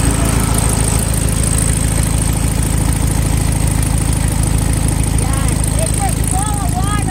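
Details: 1972 VW Beetle air-cooled engine, first start after sitting months in wet Seattle weather, battery charged three hours, starter fluid used: steady chuffing idle about three pulses a second, even and unbroken; running cleanly.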